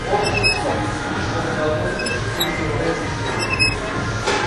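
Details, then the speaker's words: Exercise machine left unlubricated a long time: sharp high squeaks with each stroke as the dry cable rubs at its guides; fixed by applying hybrid silicone lubricant to the cable's friction points. "если долго не смазывать тренажёр у него может появиться неприятный звук"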